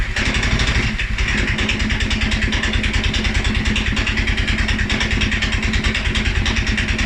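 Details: 2011 Polaris Sportsman 550 XP: uneven, lumpy single-cylinder thumping at about three beats a second, idling low and rough after riding or revving; EFI sensors, valve clearance, timing, plug and 43 psi fuel pressure all checked good; cause unknown.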